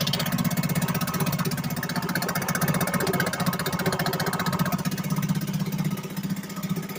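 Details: 1963 Gale-made Sea King 3hp single-cylinder outboard after a new water pump rotor, fired up once more; steady, even beat of about four pulses a second, smooth and healthy, running normally.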